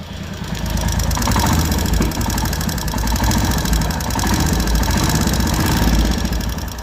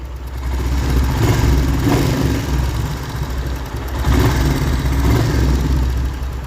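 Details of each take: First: Royal Enfield Hunter 350 single at idle before tappet (valve clearance) setting, due at the third service; quick steady light ticking over the thumping idle, regular with engine speed; valve tappet noise from loose clearance. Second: Royal Enfield Hunter 350 single at idle after tappet (valve clearance) setting at the third service; steady deep even thump, no top-end ticking, described as completely silent; normal idle.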